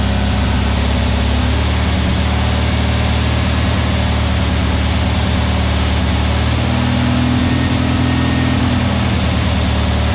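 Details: New VW Beetle 1679cc single-port flat-four, Scat C25 cam, dual Empi ICT carbs, first fire-up during 20-minute cam break-in: loud steady lumpy fast idle, even exhaust beat, no knocks or ticks; timing spot on, no leaks, carbs need tuning; normal running.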